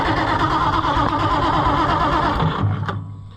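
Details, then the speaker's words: White 2-70 gas tractor after fuel system cleaning: starter cranks about three turns a second for about two and a half seconds, then cuts out abruptly without the engine catching; faulty remote starter switch trigger. "I think my button my trigger is messed up yeah it is well that's a shame so our remote starter switch is the culprit behind my problem"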